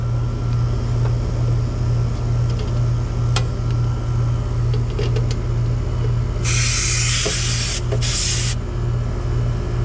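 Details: Mobile home AC condenser with no cooling, 87 degrees inside, after a Titan HD capacitor was fitted: a steady low compressor hum with the fan turning evenly and a short hiss midway; the condenser now runs normally.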